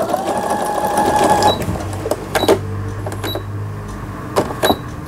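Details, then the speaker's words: Brother Innovis 10 sewing machine after needle bar repair, testing pattern stitches incl. triple straight stitch: short bursts of even needle whirring with light clicks between patterns, no knocking or grinding; normal stitching. "삼중겹 직선 바느질, 요거는 중요한 바느질입니다."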